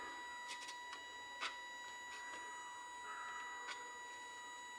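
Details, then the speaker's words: Small DC motor/fan on Arduino PWM via TIP122 transistor, duty cycle being raised from low: thin steady high whine near one kilohertz with faint rising note as motor starts and fan turns on; normal. "okay motor is on [Music] now I am going to increment duty cycle again sorry duty cycle again it's now the fan is turned on"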